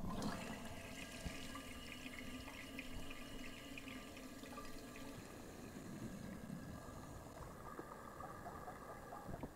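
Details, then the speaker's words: American-Standard toilet with a larger tank, after the owner fitted the wrong flapper: steady hiss and trickle as the tank takes forever to refill and the level visibly drops. The flapper is probably leaking by and will be replaced. "i'm seeing as it's really not having good time it's taking forever to fill i would say that yes this is probably leaking by"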